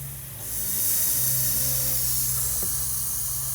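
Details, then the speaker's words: 2008 Citroën C5 A/C system during partial charge: loud steady high hiss of refrigerant escaping at the junction of two push-fit aluminium pipes with O-ring seals; fixed by replacing the seal. Refrigerant leak. "on n'a pas besoin de traceurs le bruit suffit eh bien j'espère que c'est pas la durite que j'ai changé il n'y a pas longtemps"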